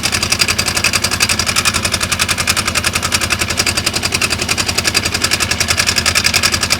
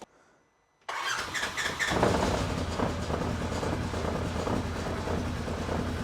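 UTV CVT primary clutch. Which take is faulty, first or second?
first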